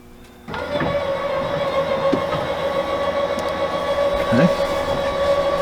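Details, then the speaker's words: Lippert leveling system on a fifth-wheel RV, retract-all command after the jacks were set 6–8 inches down: steady even mid-pitch motor hum with no knocks or grinding as the jacks, front included, retract normally; control board suspected bad for other faults. "You can hear them retracting. You can see them retracting. And it is retracting the front also."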